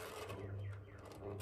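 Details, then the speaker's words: GEC Relite 140cm industrial ceiling fan on original controller, new capacitor, slightly unbalanced blades; steady motor hum with dry scratchy rasp, quieter on high speed; worn motor bearings. "So you'll start to hear the bearings already. But as the fan does get faster on high, it actually is not as loud. You can hear the motor. Motor motor's got some noise to it."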